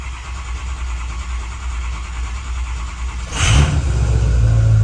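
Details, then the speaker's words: Ford 6.0 Powerstroke diesel with electrical issues, cold after sitting six hours: cranks and catches quickly, revs up, settles into deep steady rumble; starts much easier than earlier, normal cold start. "And it did. Now, it started much easier than it did earlier."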